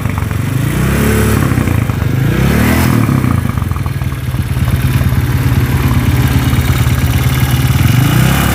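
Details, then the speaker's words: Honda CB motorcycle with stroke-up engine, vibrating badly, being revved: rough, heavy shaking clatter that is harsh and uneven on each blip, like a scored piston. Traced to a worn connecting rod. "karena ini yang bermasalah adalah di bagian setange kalau lemon menyebutnya seperti itu ya karena waktu tiga sedikit-sedikit hentakannya ke hentakannya kemlitik itu makin kenceng Rek Rek Rek seperti piston itulah seperti piston baret kondisinya sepe"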